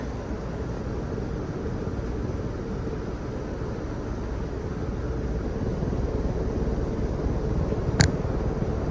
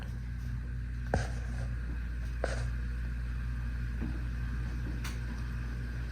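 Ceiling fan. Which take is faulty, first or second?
second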